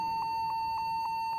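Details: Computer keyboard giving a sharp mid-high beep repeating steadily about every quarter second; a key held down or stuck is suspected, not confirmed.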